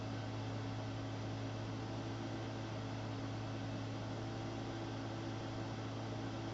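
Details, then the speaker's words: AMD K6-2 desktop PC running benchmarks: steady loud whooshing hum with low drone underneath, unchanged throughout; cooling fan louder than it should be, replacement on hand. "You can probably hear the loud fan on this."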